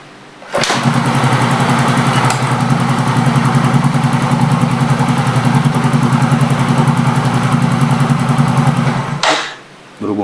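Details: Yamaha Mio J scooter that would not start, very weak compression and no indicator lamp, tested after refitting the spark plug: it catches after a brief crank and runs at a steady, slightly uneven beat before cutting off.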